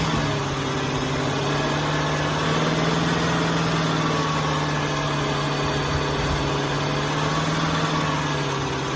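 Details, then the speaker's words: 2005 Ford Taurus petrol engine after new idle air control valve and ignition coil, not fully warmed up; idle rises and sags, stumbling, later stalls; owner suspects air sucked in somewhere up top, unconfirmed. "see how it's jumping real bad sounds like I hear air coming out of somewhere else I I can hear air coming sucking in something sucking air in somewhere up in here and it's not this"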